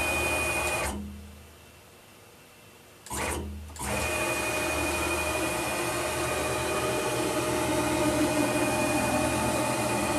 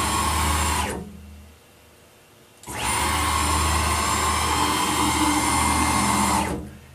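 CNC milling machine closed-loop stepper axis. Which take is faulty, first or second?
second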